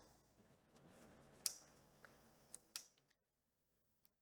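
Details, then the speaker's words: JVA QT13 electric fence energizer with VKP module, feed and return bridged, reading 9.2 kV, 3.2 joules, no AC supply: sharp, dry ticks about once a second with irregular gaps; pulsing normally. "We can now hear the energizer is ticking and the voltage being 9.2 KV."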